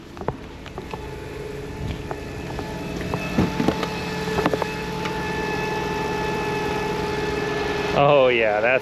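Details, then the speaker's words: Dodge Journey at idle: steady high alternator bearing whine that doesn't waver; charging test shows low voltage around 12 volts and alternator hot after about a minute, so it's failing. "can you hear that you can hear the alternator whining I'm sure that's the alternator"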